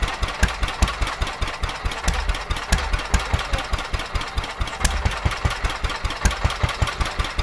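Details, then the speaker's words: Petter A11 (A1 series 2) vintage single-cylinder stationary engine, owned 12-13 years, stored damp in a container for four years, first run after revival: uneven, stumbling thump about two and a half beats a second, missing; owner suspects fuel starvation from dirt in the carburetor. "No, I think we're getting fuel. Pretty sure. [Applause] Yeah, I think they're going fuel starvation. I think the carburetor's got a little bit of crap in it."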